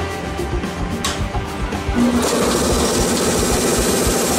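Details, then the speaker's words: Single-piston air compressor with a large filter, shown among 48- and 72-litre units; steady mechanical chug about 3.5 beats a second settling into an even, nearly silent run with no knocks or rattles; normal running. "como puedes observar este es un compresor casi silencioso y es silencioso porque lleva un solo pistón y un filtro el cual es bastante grande"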